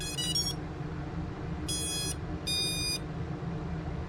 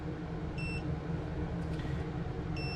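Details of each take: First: ViFly Finder Mini lost-model buzzer plugged in to power: short bursts of high electronic beeps in three chirp groups over a low hum; normal power-up beep. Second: ViFly Finder Mini lost-model buzzer on a quad after power is unplugged: two short high chirps about two seconds apart over a low rumble, the quiet first-stage beep that lasts about 40 seconds before switching to max volume.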